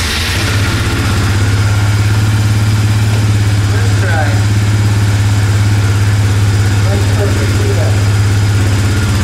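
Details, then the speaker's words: 2005–2006 Suzuki Eiger 400 ATV after carburetor rebuild, first start on choke. Deep, even single-cylinder thump at steady idle with no stumbling or misses; good throttle response, now running great. "good throttle response it's running great now"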